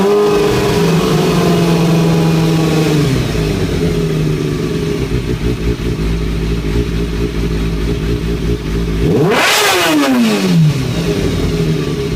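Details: 2003-2004 Kawasaki ZX-6R 636: busy mechanical clatter on idle that follows the revs through a throttle blip; timing gear suspected, possibly the cam chain, and resetting the tensioner per the manual changed nothing.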